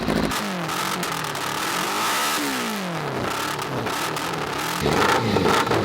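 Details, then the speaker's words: Unfinished buggy with a 600 cc motorbike engine, first start, cold and on choke: revs up and down unevenly with a lumpy, stumbling beat and flames from the exhaust. Owner unsure whether it needs a tune or has missing pipes. "See the flames coming out. Sticking over now. Definitely running a bit lumpy but it sounds good."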